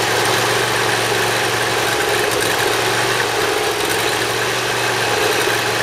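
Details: Briggs Intek V-twin mower engine, cold, on full choke after valve lash adjustment and an oil change: fires straight away without starting fluid and holds a steady, even drone with no surging or misses. Previously hard-starting and surging.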